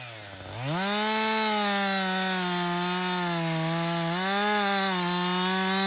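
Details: Husqvarna 562XP 60cc chainsaw, back from the shop after dealer reflashed its software for dying when hot and stumbling, bucking dead windfall about two-thirds of a tank in: high clean two-stroke scream dips slightly as chain bites, recovers smoothly; normal under load.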